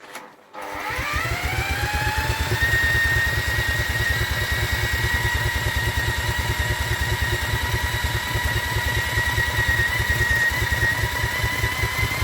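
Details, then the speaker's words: Vintage Douglas engine, unrun after 40 years under a hedge, on a cold start attempt with the carb re-cleaned for missed jets and the mixture being adjusted, cranked by electric drill. It catches and runs with a loping, uneven beat: intermittent firing, temperamental. "she definitely tried to go there didn't it it definitely ran keep going all right I think this is going to be a temperamental engine"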